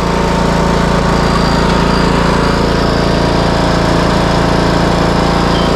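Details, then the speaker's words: Craftsman T130 riding mower after repairs, including a no-crank fuse fault, started on choke and mowing with the blade engaged. A loud, steady drone with even pitch and no surging, knocking or grinding shows it runs properly under load. "Crank It Up do a little cutting on it all right part break down got the choke on Crank It Up so down B boy ready to go let's do"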